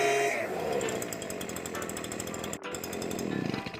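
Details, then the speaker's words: STIHL BG86 hand blower after the clogged screen was cleared: crisp two-stroke buzz revving cleanly and holding a steady high pitch, sounding much better, normal revving. "Now you can hear it. I can feel it. That's already sounding a ton better, but we are gonna adjust the carb, see if we can get a little bit more out of it."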